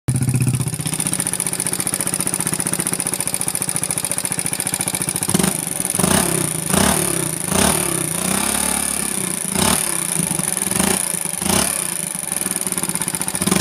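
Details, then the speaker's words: Motorcycle rebuilt not long ago, running a big loud aftermarket exhaust, turned rough again: steady idle with a light, fast metallic tick that grows sharper and rattlier as the throttle is blipped; valve tappet ticking from loose valve clearance. "Kalau makin digas makin ngeletek ngelitik Apa ngeletek ini Ya dibilang ngelitik tapi agak ngeletek dibilang ngeletek tapi agak ngelitik intinya kayak gini suaranya nih"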